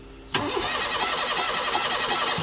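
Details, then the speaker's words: Petrol car with stalling and hard starting, now no start, spark plug test at coil: steady fast starter whirr cranking without catching; no spark at the plug, fuses good, coil plug wiring checked next. "เอ้าสตาร์ทปรากฏว่ารถยนต์คันนี้ไม่มีประกายไฟเทียนออกมาเอาสตาร์ทอีกครั้ง"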